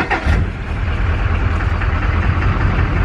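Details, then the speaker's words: LB7 Duramax truck not run in six years with new injectors: rough, lumpy diesel idle with occasional stumbles; one cylinder misfiring, suspected cause under investigation. "well we got the truck to move under its own power but we believe that the victim is causing an issue because we're still getting the injector seven misfire"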